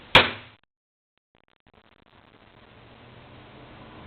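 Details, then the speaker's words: Aged Xpelair WX12 extractor fan with FR12 controller, started on low speed in extract mode, with shutters greased but not opening fully. A sharp clunk as the worn shutter solenoid switches is followed by the fan whooshing up to speed. "You can hear that fantastic clunking noise as the solenoid switches and as you can feel, it pulls."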